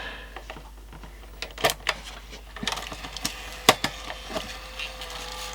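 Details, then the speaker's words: JVC GR-AX200E compact VHS camcorder during playback: irregular ticks and snaps from the tape transport over a faint whir as it chews the tape; possibly muck on the mechanism or a bad tape patch. "something's severely wrong with the recording one on the other oh I can hear tape chewing stop"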